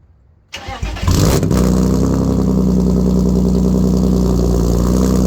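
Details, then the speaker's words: BMW E36 cold start with catless M3 midpipe, no muffler and no cats: short crank, then a loud, raw, deep unmuffled drone, no smoke; loud exhaust without muffler or catalytic converter. "i'm gonna cold started for you guys so you can hear how bad the muffler no muffler no cat is i hate it"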